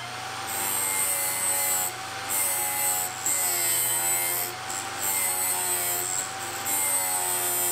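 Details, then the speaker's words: Small OTMT drill bit sharpener grinding a drill point: a steady motor hum with a hissy grinding rasp that swells and fades as the collet holder is rocked, until the grinding stops; normal point grinding. "Then I don't hear any grinding anymore, so I'll take it out, turn it over, don't forget the second side, that's important."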